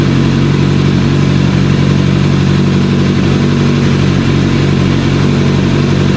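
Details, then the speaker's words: Suzuki GSF600 Bandit four-cylinder after 14 years sitting, carburetors cleaned, wiring fixed, airbox refitted with homemade filter: crisp even note picks up cleanly with no misses or pops, still slightly fluttery; carburetors may need adjusting; healthy revving. "man that Su sounds good she sounds nice and crispy so making an air filter for the airbox and hooking all that back up helped it out helped out a lot"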